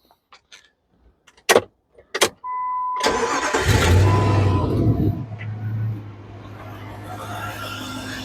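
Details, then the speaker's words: 2004 Jeep Grand Cherokee that wouldn't start due to corroded battery terminals: after terminal work and a 12.5-volt reading, brief crisp crank catches almost at once and settles into a steady even idle; normal start. "We got 12.5 volts, and I'm going to go try and start it now."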